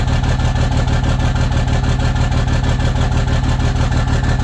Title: Rough Idle